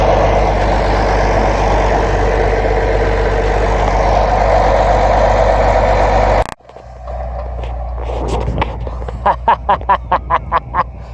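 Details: 1999 GMC Sierra petrol pickup, sat 3 years, just started with dead battery: steady even idle rumble, no knocks or misses, alternator whining from charging the flat battery.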